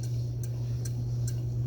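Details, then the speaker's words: Mid-1950s Wright & McGill Fre-Line Model 10-BC spincast reel after servicing: over a steady low hum, a light scrape-tick about once per handle turn when cranking forward, not in reverse, with pickup pin out; rubbing inside the reel, cause not confirmed. "but every about every turn you hear just a little bit of a scrape [Music] and I don't hear that I mean I hear some clankity Clank but I don't hear that little scrape when I turn it back"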